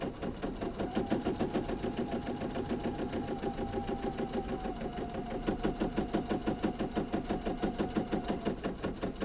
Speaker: Boy, that needle is dull. >> Can you hear that? >> It's popping. >> You hear that goingump? >> That is from the needle being dull.